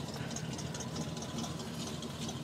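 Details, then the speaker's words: 1985 Chevrolet pickup with electric choke, cold start around 30°F after three weeks sitting: fairly quiet, slightly uneven idle with faint rattle, lower high idle, sounds near dying but holds; owner expects it to smooth as choke opens, possibly something missing. "got an electric choke. It almost sounds like it's gonna die, but it won't. And I think after the electric choke tells it to, it's gonna open up a little bit, and then idle will start smoothing out some."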